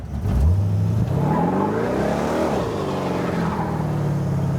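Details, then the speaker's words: Roadster with Ford 8-inch rear end after a gear swap from 2.70 to 3.00, no longer howling or clunking. Engine pulls smoothly through the revs under acceleration with a rising tone and no gear whine; feels more peppy. "yeah, it's a little bit more peppy. Hit him with that one tire fire. All right, that's it, it's fixed."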